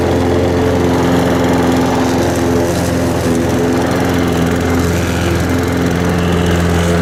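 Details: Harbor Freight 173cc mower engine with John Deere self-propel pulley, oil changed 2-3 weeks ago: steady even drone at reduced throttle, no misses, knocks or rattles; brief startup oil burn blamed on tipping; healthy.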